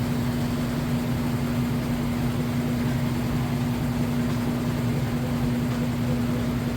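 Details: GE top-load washer in spin cycle after agitation and rinse; steady even hum with smooth constant motor tone, no thumping or banging; load balanced and spinning fine.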